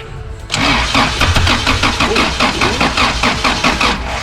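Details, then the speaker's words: Jackaroo petrol engine after distributor work, cranked with starter spray; fast rhythmic starter churning about five beats a second, never catching: cranking no-start. "but yeah we couldn't get us to start i'm not sure if there's a timing issue or not it was pretty bloody close a couple of times but this didn't happen"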